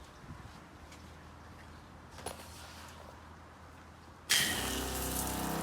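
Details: Joolca HotTap water heater system on Dingo trailer shower, full heat, medium water pressure, shower on: quiet, then sudden rush of water with steady pump hum; pump turns on at low pressure while flowing, normal.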